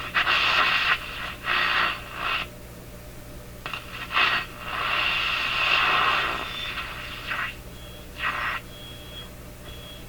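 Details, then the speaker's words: Breadner JBL-37 tube radio with intermittent fault while components are poked: sound bursts in and out with high whistle, like oscillation starting or stopping; suspected bad tube contact or nearby component; intermittent audio. "Sounds like something breaking into oscillation, or maybe falling out of oscillation."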